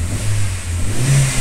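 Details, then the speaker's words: 2009 Chevrolet Astra engine after repair of its pinging (pinking) noise: revs up smoothly with a deep, even note and no pinging or stumble, running cleanly. "O motor ficou sereno, ficou redondo, ficou legal."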